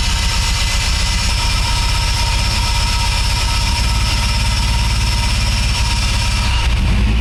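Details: Acura RSX tuned for RDX injectors, after injector swap: dense, steady low chug with slightly uneven beat; rough running.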